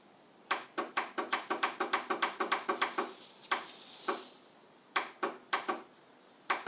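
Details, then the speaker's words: Craftsman riding mower with carb spray added and solenoid refitted: sharp dry clicks in quick bursts, about three a second, then pauses, with no cranking; the owner suspects a bad starter or battery before checking battery voltage. "could have a bad starter I could have a bad battery that might actually be my problem problem might actually be the starter how about that"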